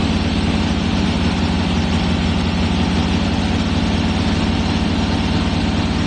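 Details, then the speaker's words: 1985 Chevrolet Camaro IROC-Z Z28 V8 sitting 10+ years, fresh gas and jump pack, just fired up: fast, steady idle with low even rumble, noticeably high; high idle. "Okay, it's idling really high."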